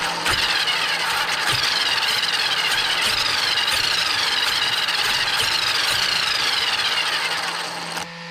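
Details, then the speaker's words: Traxxas X-MAXX 8S RC truck on the bench after replacing the spur assembly and rear bulkhead to cure repeated gear stripping: high steady gear whine under quick throttle pumps, no skipping or clacking, then winding down; mesh healthy with audible backlash. "So guys, that looks all good to me. I'll switch it off so you can hear me. That looks all good to me, and you can hear the backlash."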